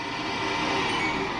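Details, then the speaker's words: LG WM3488HS washer/dryer combo drying cycle, upper back corner: constant harsh rushing roar with thin high whine on top; owner suspects fan motor; hot-air circulator fan motor (4681ER1007A). "Yep, so I'm not sure what that is. I think it's a fan motor."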